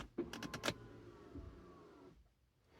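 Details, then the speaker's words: 2017 Buick Regal GS AWD electronic parking brake, rear pads and rotors just replaced, brought out of service mode in accessory mode with foot on brake: a few clicks then a short steady motor whir from the rear that stops cleanly; normal parking brake actuation. "will hear the parking brake in the back actuating. You'll notice after you hit the parking brake button, you activate it, that flashing light will go away and you're good to go."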